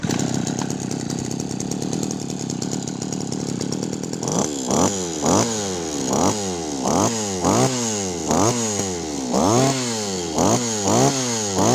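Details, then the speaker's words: Yanmar (Kyoritsu) 209D small two-stroke with the coil switch signal wire rerouted, throttle test: a steady buzz, then sharp rev-ups about once a second, each climbing cleanly and dropping back; crisp, healthy revving. "เดี๋ยวสตาร์ทแล้วไปเร่งรอบเครื่องดูว่าเจ้านี้มันจี๊ดแค่ไหนครับ"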